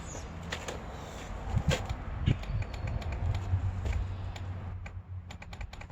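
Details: ATV being reassembled after rebuilding a blown engine, with earlier battery problems: only sharp, irregular clicks, apparently from the battery area, with no cranking and no firing; the engine won't run and the cause is not yet found.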